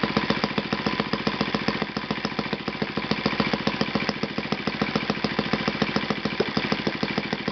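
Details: Yamada (Futaba) YS-F120 four-stroke 120-size model engine on test stand after total rebuild (combustion chamber buildup, piston and ring problems), Yamada No.4 glow plug: quick even firing pulses at steady beat, no misses or surging; normal running.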